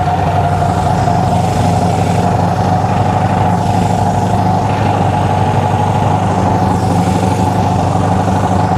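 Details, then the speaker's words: Honda CB360 twin, ignition slightly out of time, idle raised, before timing adjustment: steady but lopsided, lumpy hollow idle, running on only one cylinder. "see it's only running on one cylinder now that's two now it's back to number one all right definitely only running on one cylinder"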